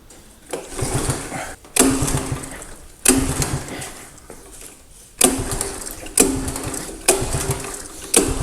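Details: 1985 Honda ATC110 three-wheeler, long abandoned, choke being turned off; short cranking bursts about once a second, whirring then dying, never catching; carb suspected dirty, throttle nearly locked, brake fluid down intake next.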